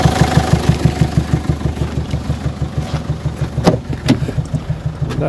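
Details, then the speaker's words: Peugeot 807 2.0 HDi (RHK) diesel, Siemens injection, idling: steady knock about three per second with air puffing back through the intake manifold toward the air filter, air-flow readings jumping; mechanic suspects a hydraulic lifter/valve not filling, turbo reads normal. Unconfirmed. "слышно как этот звук обратного хода воздуха идет впускной коллектор воздушный фильтр"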